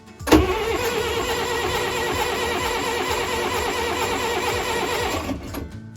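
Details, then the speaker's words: 40 hp marine diesel engine unstarted for years, glow plug held while cranking: steady, quick starter cranking for about five seconds with no firing; crank no start, mechanic suspects the diesel is too old. "uh had good speed to it yeah that was encouraging why don't we uh hold that glow plug and continue to crank yep um it just might be that that that Diesel's too old"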